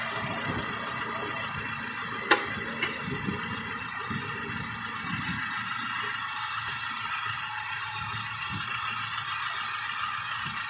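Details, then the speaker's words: Car engine idling during an alternator test with the battery cable disconnected: one sharp click, then a quiet even idle that carries on unchanged, showing the alternator is charging correctly. "justamente con todos los cables quiere decir que nuestro entrenador está confirmando correctamente"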